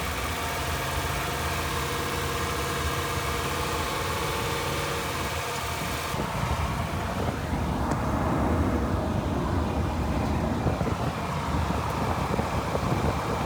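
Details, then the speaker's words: 2014 Ford E250 van pulling away and driving after a bent transmission part was replaced and the transmission reset with a scan tool to relearn; smooth even engine note, shifts without grinding or clunks, running normally. "Okay, as you could see, the transmission shifts, the van drives."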